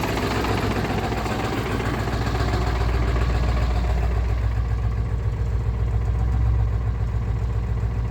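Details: 1996 Ford 7.3 Powerstroke diesel, 292k, cold start at 18°F: deep, uneven, rough loping idle with heavy smoke until warm, fine when warm; owner suspects misfire or bad injectors, new o-rings and cups ~1600 miles ago.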